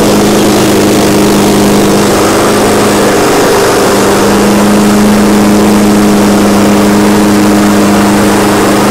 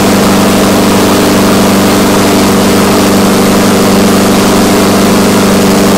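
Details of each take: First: Exmark Commercial 21-inch push mower after spark and carburetor repairs, warm: small single-cylinder engine holds a steady, even drone with clean pitch and no misses or surging; normal running. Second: Exmark Commercial 21-inch push mower, first start after cleaning the carburetor and refitting the fuel line: loud small engine at constant speed with a slightly uneven beat, starving for fuel; owner doesn't think it's a governor issue.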